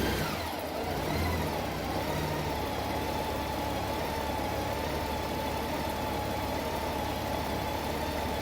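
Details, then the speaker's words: 2012 Honda Goldwing once warm. The PAIR valve is heard clicking on and off, but the engine no longer stumbles because the O2 sensors now provide mixture feedback. Smooth, steady idle with an even hum and no dips; normal. "You can hear it clicking on and off, you see it engaging, but it's not causing the engine to stumble anymore because the O2 sensors are providing the feedback to the system so it can compensate for any extra air or fuel that's getting changed in the mixture when that air system gets activated."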